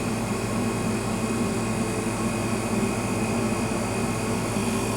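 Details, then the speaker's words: Rivacold cold-room compressor after new start and run capacitors and external relay (stuck relay contacts): steady even hum, constant low drone, no knocking or cycling as it loads up under load; starts much better. "you can hear the compressor loading up now it's working a bit harder"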